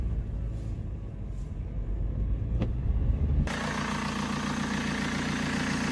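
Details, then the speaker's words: BMW E87 diesel with high fuel consumption, after a thermostat replacement. The diesel clatter turns into a whistling, hissing rush as revs climb: a boost leak from a damaged lower intercooler hose. "that whistling sound you heard is not normal the lower intercooler hose down there is damaged"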